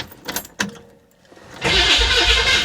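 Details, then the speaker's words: Flood-damaged 1966 Chevy Impala, starter expected to need shimming: starter spins the engine briskly and evenly until it catches, no grinding or chatter; starter works perfectly with no shims. "that sounds great guys no shims at all sounds perfect"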